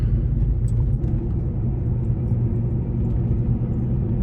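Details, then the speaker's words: Gen 1 Ford Raptor, 11 years old, 125,000 miles, coasting off throttle at speed: steady low drone under road rumble, a combined grind and whine from worn rear differential gears, masked when radio or AC is on. "So if you can't hear it in the video, it's kind of like a grind and a whine all together."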